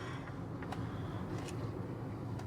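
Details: 2018 Acura TLX at about 169,914 miles, driving after rear hub bearing replacement: only soft, even road rumble with no hum or growl rising with speed; rear wheel bearing now sounds healthy.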